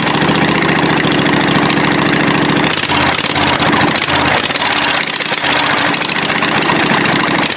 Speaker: it runs guys now and I'm both cylinders oh yeah for sure